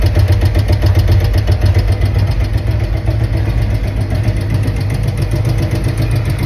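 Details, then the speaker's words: 2023 Harley-Davidson Road Glide Milwaukee-Eight 114, with new adjustable pushrods and roller tappets, at idle: loud V-twin idle with fast sharp ticking up top; owner suspects rocker arm causing valve train noise. "So, as you can hear it, something's really ticking in there. It almost sounds like uh a tap it, but it sounds up high. So, I'm thinking maybe rocker arm."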